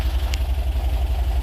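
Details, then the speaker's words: Porsche 914, idle about 800 rpm, with lots of compression noted. Steady, even low throb with no misses, knocks or ticks; healthy idle. "Runs like a champ. Very nice. Very nice. Got a lot of compression. Very, very nice."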